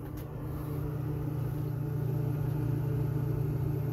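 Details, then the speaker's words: Old soda vending machine given away for scrap, powered up. Its refrigeration compressor gives a steady, even low hum with no rattles or knocks. It is building pressure; the lines are hot and it cools normally. "sounds like compressors making this building pressure I can hear the typical compressor sounds those lines are hot"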